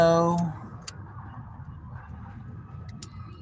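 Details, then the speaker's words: Honda EK with SOHC VTEC D15B engine: only a couple of faint clicks and no cranking when the circuit is tripped; the under-dash relay resets and the fuel pump primes, ground and voltage are good, so the starter is suspected stuck or locked up. "I can hear the relay resetting the voltage in under the dash I can hear the fuel pump priming going when I'm tripping the circuit so I think that starter's stucking locked up"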